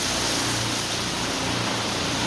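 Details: Ryko Softgloss XS car wash after replacing the failed diaphragm seal on the wash water valve, which had caused low or no pressure at the soap nozzles: strong, steady hiss of spraying water at full force without sputtering; normal wash water spray.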